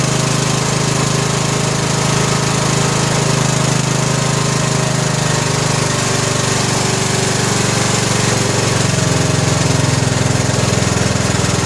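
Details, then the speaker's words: 2000 Scotts lawn tractor (John Deere-built) with a Briggs & Stratton Intek 17 HP OHV engine, after fitting a new, correctly gapped spark plug: steady, even single-cylinder idle while warming up, no more popping; normal running. "well what think guys I think we got it Run's good"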